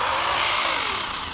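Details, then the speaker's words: DEERC 1217 1:14 brushless RC truck with upgraded VbestLife ESC on a CNHL 4S LiPo, around quarter to half throttle. High gritty buzzing whine over the motor that fades as it slows. New driveline noise; owner suspects a leaf caught in the drive, unconfirmed. "I think we got a leaf in there, something. We'll see what's going on. That noise wasn't here earlier, so I don't know what that is."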